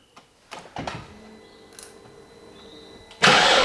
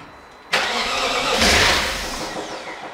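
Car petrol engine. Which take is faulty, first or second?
first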